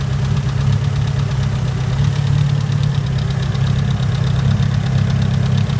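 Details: Mitsubishi Evo 9 four-cylinder, warm idle after about 3 miles of driving, when the noise begins: smooth idle with a quick, even light ticking keeping pace with idle speed; owner asks whether it is valve tick or rod knock.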